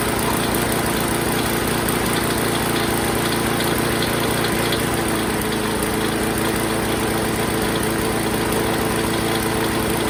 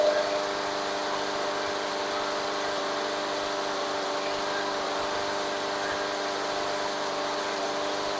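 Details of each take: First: Craftsman 21-inch mower, Briggs and Stratton 6.5 hp, after carb clean, fueled and primed: steady fast idle with a constant tinny rattle from loose bolts and hanging exhaust; otherwise sounds good, still needs air filter, tightening, probably a spark plug. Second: Craftsman 21-inch mower, Briggs and Stratton 6.5 hp, after carb clean: steady, even hum with constant pitch, no misses or knocks; idling smoothly and running normally.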